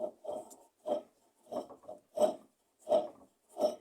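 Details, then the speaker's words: Electrolux LT12 washing machine during wash agitation, lower mechanism already replaced: harsh rasping scrape in bursts with each stroke, about one a second; noise comes from inside the motor, a worn motor bearing. "ela ficou com um barulho muito forte na hora de lavar e esse barulho lavar muitas vezes ele é complicado de você resolver porque porque o barulho acontece aqui dentro de dentro do motor"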